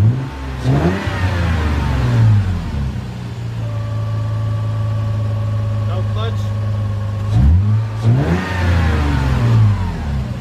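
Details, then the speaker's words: Lexus IS300 with under 69,000 miles, engine cold: two clean revs rising and falling smoothly from a steady idle, with no knocks, misses or rattles; the engine is healthy. "so as you guys can hear the car runs no problem I was a little worried ish I mean I wasn't revving it too hard but I don't like really I don't like reppin my cars when they're called but as you guys can tell the car sounds really healthy"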